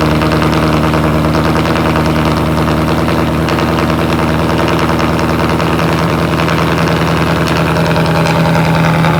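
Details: Cold start of a 2018 Ford Mustang GT V8 with a newly installed X-pipe exhaust: loud, deep burble at a high cold idle, steady and even with a raspy note; normal cold idle.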